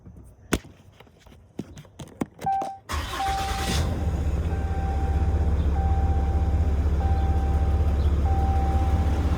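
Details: 2021 Ram 2500: after a few clicks the engine fires and idles with a steady light ticking noise, about four ticks a second.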